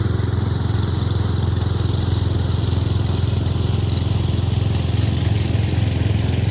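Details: Murray Select 30-inch riding mower being fixed up, mowing on a slight incline with an unsharpened blade: steady low engine drone with an even beat holding speed without stumbling; cut decently, runs normally under load.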